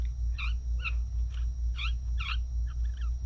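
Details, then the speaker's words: Juiced Camp Scrambler e-bike rear hub motor, outer shell turned by hand while the main part is held steady: chirping squeaks about two a second, dry rubber seal squealing; owner plans to lubricate it. "if you hold that stay and turn this the rubber squeals"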